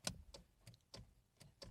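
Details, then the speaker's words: Ford Focus horn pressed: six sharp dry relay clicks with no horn tone; fuse and relay tested good, so the horn unit itself is dead and needs replacing. "you're just hearing a click from the relay there um which means which from what i understand means means a couple of things that more than likely the horn unit itself is bad because uh the relay is working"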